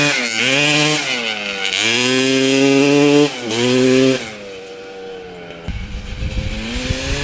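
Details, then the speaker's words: 1995 Honda CR250 with both the CDI and the stator swapped back to the old ones: the engine revs smoothly and drops to a steady idle with no bog. The replaced fuel line or the flywheel is now suspected. "well this is getting very bizarre so now both the CDI and the stator swapped out with the old one still runs good no bugging what the heck"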